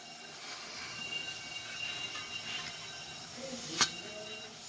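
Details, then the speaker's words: Mitsubishi engine (model possibly GCS25S) with extreme low power, engine off, rockers loosened: a leak-down test at 40 psi into cylinder 2 gives a steady high hiss as air leaks into cylinder 3, showing pressure loss between the two cylinders. "I lose pressure going into cylinder number two it's also going out to surrender number three"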